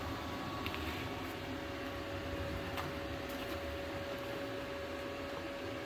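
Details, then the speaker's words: Yes Welder MIG-205DS MIG welding at max setting 24: steady even arc hiss with faint constant hum, no sputtering or popping; running cleanly after inconsistent arc at lower setting. "Yeah, see, that's more along the lines of what I would expect right there."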